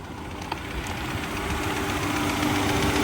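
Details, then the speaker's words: Auction-yard car on a very hot day, feared to need an engine rebuild: a light, regular tapping at about four per second rides over the idle and seems to fade at higher revs. "Let's see if we can listen to this engine one more time. It's almost like it goes away when it gets up there a little bit."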